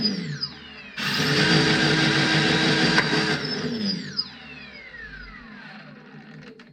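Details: Prometheus blaster with Sunny Sky 2216 2600kV brushless motors and aluminum flywheels, bolts not yet fully tightened, speed-pot regulated: clean rising whine as flywheels spool up, quick thump as darts fire, even wind-down; spins smoothly.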